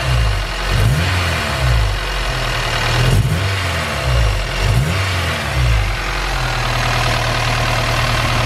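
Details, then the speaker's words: Supercharged Honda S2000 at idle with a few throttle blips: a dull, irregular knock underneath that barely follows revs and sounds diesel-like; not a lifter tick, source unclear. "this sound funny don't sound like a lifter it doesn't speed up with the engine it does a little bit"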